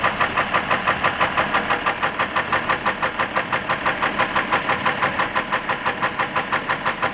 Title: 3.0 diesel severe engine knock